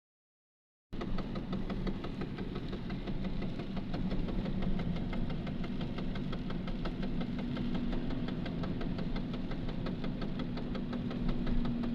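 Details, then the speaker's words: VAZ 2110 knocking while driving at speed: fast, fairly irregular knock about four per second over engine and road drone, louder under load on throttle and nearly fading when throttle is released; cause unknown. "такой звук есть, когда газ даешь под нагрузкой, увеличивается. Вот так вот увеличивается. Когда вот газ сбрасываешь, чуть-чуть стихает."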